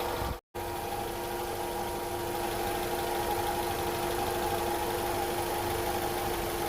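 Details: Honda CR-V first generation at idle: a constant mid-pitched hum with a thin whine riding over it, unchanging and heard in the engine bay and cabin. Attributed to incorrect distributor timing.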